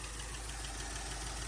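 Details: Toyota LN65 Hilux 253 V8 just started after a decade sitting, quiet steady idle with light busy ticking; a fair bit of valve train noise blamed on long storage.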